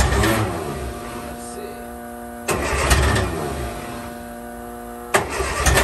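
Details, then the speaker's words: 1963 Austin Healey Sprite 1098, first start attempt after almost a year sitting. Three crank attempts churn briefly and fade without catching; it cranks but won't start. The owner suspects a clogged fuel filter, and the starter is sparking. "as you can see that filter might just be shot let's give it a second here and see if we can get some fuel to fill it up I might just need to change that thing out that might be clogged"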